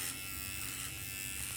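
Steady high buzz holds its pitch with no bogging or strain as it cuts; the trimmer is running fine under load.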